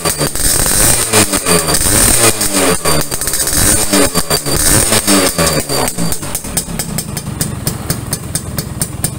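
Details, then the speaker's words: Restored 1980s Yamaha V80 two-stroke: crisp, ringing crackle rising and falling with the throttle over background music; exhaust sounds stock and healthy, not aggressive. "jadi suaranya benar-benar garing garing garing tapi garing standar gitu ya jadi enggak garing galak gitu"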